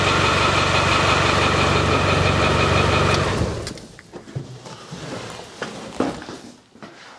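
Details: Land Rover 300TDI diesel after sump pan reseal, new oil filter and oil change: fires up to steady even clatter about four beats a second, no knocks or misses, then shuts off after seconds; healthy.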